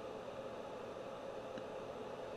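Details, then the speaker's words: Audio amplifier with gain set quite high, output about 2 V from about 22 mV input: constant even hiss from the speaker with no tone; excessive gain amplifying preamp noise. "that's why you're getting all that noise and the speaker because it's like I said it's amplifying the noise from the preamp"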